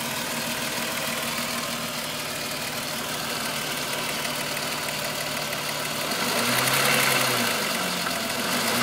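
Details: VW Golf VR6 2.9, 103,000 km, steady idle: fast, light, slightly uneven rattle and rubbing. Chain-rub noise that grew louder after the upper hydraulic tensioner screw was changed; cause unclear.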